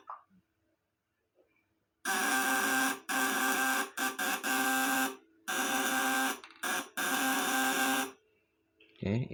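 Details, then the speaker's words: 1 kg 200 W 12 V C200 shock unit on bench test: a steady, even buzz in short bursts as the platinum contacts chatter cleanly under full lamp load. The 200 W maximum is reached, and tightening the contacts further adds no power. "Nah ini tandanya Bali 200watt maksimal segini ya karena kalau kita Kencangkan lagi yaudah gak ada peningkatan daya"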